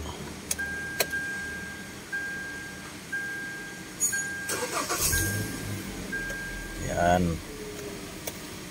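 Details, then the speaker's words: Hyundai Elantra (also applies to Accent, Picanto, Soul) after replacing the crankshaft position sensor (CKP, P0035) and clearing the code; previously hard start and misfire. Short crank catches almost at once, then settles quietly; clean one-click start. "nung hindi pa pinapalitan ng sensor Ah medyo hard start to So ngayon one click na siya yan Okay na"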